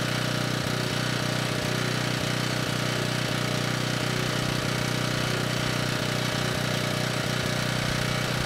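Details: Ridgid 5700 W generator (RD905712), Yamaha MZ300 engine, 1500 hours, rescued from the dump, warming up on a cold day before load: started first pull, holds steady governed speed, even firing, no knocks or misses; healthy.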